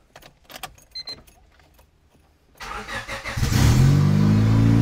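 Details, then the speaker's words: 1996 Honda Civic D16Y7 after home turbo install (manifold, wastegate, intercooler, oil lines): a few quiet clicks, then cranks, catches and settles into a steady, even idle with the turbo spinning; normal start and idle. "Turbinho ali girando. Ligou, galera. Ligou. Turbinho tá rodando, ó."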